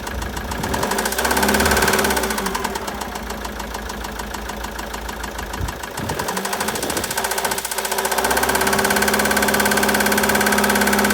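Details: 2013 Citroën Jumper II (Type 250), 2198 cc 96 kW diesel, engine code 4HH, 294,000 km, with bearing damage and a defective cooling system. A steady knock about 3.5 per second over a rough diesel idle; engine knock, bottom-end bearing suspected.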